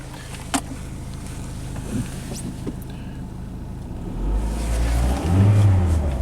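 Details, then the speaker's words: Dodge Neon with a low-power, limp-home complaint, on a test drive: drove fine at first and shifted to third, but once warmed up the engine hum climbs in pitch and loudness with no pull behind it; automatic transmission slipping. "CU it drove fine for a little bit it shifted to Third and now that it's warmed up it's like slipping limping"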